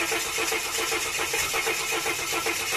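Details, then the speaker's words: Ford AU Series II Falcon (stalls and misfires when warm), cold crank after a new crank sensor was fitted: starter turns over evenly at about 4–5 pulses a second but doesn't catch. It never starts first try cold and needs a second attempt. Hard cold start. "car will also never start straight away when cold you've got to attempt to start it turn it off then Crank It Again"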